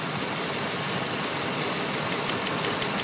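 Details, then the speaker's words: 1995 Chevy K3500 5.7L 350 L05 TBI V8, after valve stem seal replacement, rocker arms adjusted while running, valve cover off: sharp, light clack about three times a second over a steady idle; loose rocker arm, tightened about a half turn slowly. "hear that then get it so it stops and then go a half a turn slowly"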